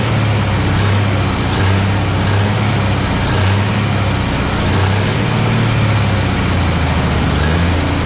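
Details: 1957 Autocar diesel truck, first start after 15 years unused since 2004, warming up, maybe not on all cylinders: steady low idle with slightly uneven, lumpy beat; rough idle, owner suspects dirty injectors, fresh fuel probably helped, expects smoothing as it runs.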